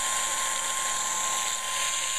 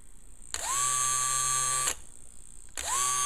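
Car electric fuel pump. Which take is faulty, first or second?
second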